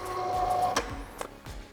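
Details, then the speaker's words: Nice blind motor with Domi P/W remote, just programmed, tested down then up: steady mid-pitched motor whir with a few sharp clicks, running normally. "Bien, la descente fonctionne. Et maintenant aussi la montée."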